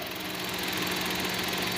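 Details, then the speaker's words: GM Chevrolet Tracker 3-cylinder turbo, fully hot after much driving on a hot afternoon, in P then reverse: even, steady idle with a light ticking buzz, no knocks or rattles; normal, quieter than the loud first cold start of the morning. "Oi e o barulho praticamente é o mesmo o carro já tá bem quente né amor que já tá quente já trabalhou bastante então não tem mais aquele barulho alto que tinha na parte da manhã"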